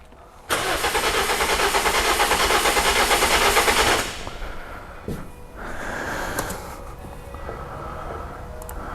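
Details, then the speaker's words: 2007 Toyota Corolla four-cylinder petrol cranking for a compression test: about three seconds of uneven cranking with some strokes softer; cylinders 1 and 2 low on compression, suspected head gasket leak; low compression. "so we know there's some kind of compression issue we can hear it in the start of noise and also we can see it on the scan scope here on the screen"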